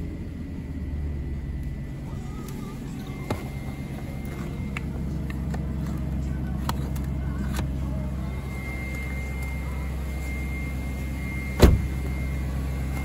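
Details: BMW 740i E38 facelift 4.4 V8 petrol at cold idle: a thin high whine over the engine is the secondary air pump (emission control air pump 11721707585) blowing air into the intake after a cold start, normal until it stops.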